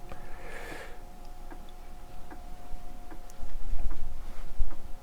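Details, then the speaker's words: 1987 Korg DSS-1 synthesizer under restoration, floppy drive formatting a disk without reading it first: faint, uneven clicks about once a second over a thin steady hum as the head steps across tracks; the drive is working normally. "So, I think if you put in a disk with valuable data on it, this will just happily go and overwrite it. Well, it's still stepping."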